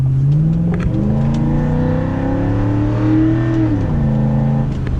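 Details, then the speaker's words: Truck with cold air intake, driven in cold winter weather, accelerating: deep, throaty engine note climbs smoothly through the revs and settles back without stumbling or rattles; healthy pull. "I mean, do a little acceleration here, just listen to this thing."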